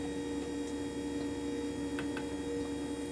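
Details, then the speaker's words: 1978 Jeep CJ7 EV conversion, recorded indoors where noises sound amplified: the electric power steering pump whines with a steady mid-pitched hum. It spools down and gets quieter after a few minutes with no load. "the noise you hear is the power steering it's a little noisy foreign this one quiets down after it sits for a few minutes and there's no load it'll spool down and get quieter"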